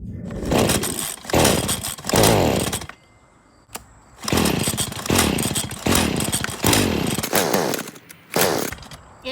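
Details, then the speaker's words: Stihl FS40C trimmer that won't start, on fresh fuel mix with the spark arrestor already removed: short ragged firing bursts die within a second on each pull. The NGK CMR6H plug was found oily with carbon buildup, a fouled plug. "Okay, so this thing still won't start. Let's pull that spark plug out and take a look at it."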